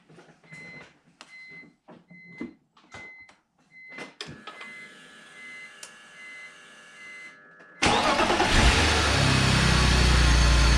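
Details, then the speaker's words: BMW E46 325ci start and idle after drying moisture from coil packs and applying dielectric grease: chimes, starter catches, engine settles to steady even idle; misfire gone after a couple minutes. "so far so good let's see when it uh the idol goes down though all right so it's been running for a couple minutes and uh no misfire"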